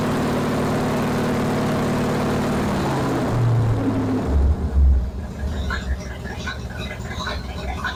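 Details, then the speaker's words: Classic Pontiac V8 with new Progression Ignition distributor, 16° timing: steady low lope at about 600 rpm idle, then a few quick clean revs returning smoothly; healthy idle and throttle response. "There it is. It's about 600 RPM. Very cool. Let's give it a few little bursts and see what happens."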